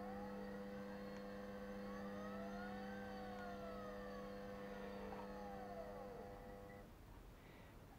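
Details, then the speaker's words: Reassembled small 3-phase motor driven by a DC-output controller with potentiometer: several steady tones as it spins up, some sliding in pitch, a harsh electrical hum; owner suspects a capacitor might help, untested. "now you hear it spinning up you hear it humming"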